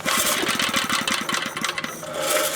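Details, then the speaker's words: Briggs & Stratton 2 hp single-cylinder engine after cleaning ignition points; pops in quick regular beats about 1.5 seconds then dies as if spark cut; owner suspects grounding wire vibrated against carburetor body; engine cutting out. "I figured out why I died there's a little of grounding wire and there and the grounding wire was up against the end there body of the carburetor I think it just vibrated itself over that way"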